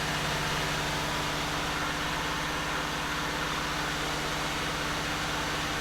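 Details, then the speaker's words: 1989 Buick Reatta: steady, even idle sitting noticeably fast with no stumbles; high idle, owner suspects the throttle position sensor, with a check engine light on. "that's probably why it's still idling high CU it doesn't know what's going on"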